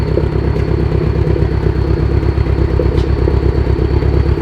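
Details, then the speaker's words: Subaru STI after engine failure on the dyno: rough, lumpy idle stumbling about three times a second, bad misfire, suspected one dead cylinder. "quite the misfire"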